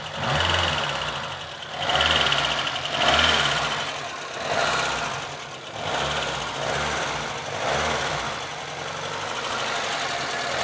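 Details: VAZ 2114 petrol engine being blipped repeatedly: metallic ticking knock keeping time with the engine, rising and falling with revs; source unknown, owner asks what is knocking.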